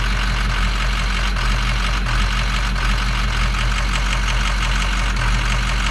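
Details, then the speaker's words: Diesel truck at idle with rough clatter and an occasional stumble a couple of times; intermittent miss seemingly linked to switching the lights, instrument cluster faulty; mismatched-flow injectors suspected, cause unconfirmed. "It's not perfect. It's like whatever it is isn't absolutely related to the lights, but it's something's up."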